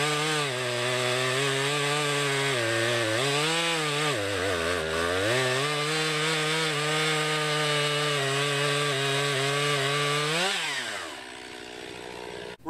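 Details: 2020 Stihl MS261, non-M-Tronic carbureted, 20-inch bar, cutting a poplar log about 1.5 ft across with a straight cut and plunge cut: strong high whine dips and recovers as the chain bites, then revs freely at the end; normal cutting under load.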